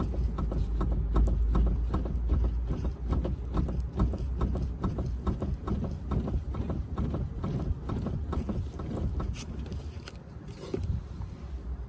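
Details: BMW 530d xDrive F10 with knock/click over uneven roads and cupped tyre: sharp clicks and dull knocks about twice a second as body is rocked by hand; sway bar or control arm suspected, not confirmed.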